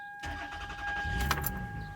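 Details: Toyota Sienna after rear spark plug work and throttle body cleaning: cranks briefly and catches cleanly without pressing the gas, settling straight into a steady idle with no stumble; normal start.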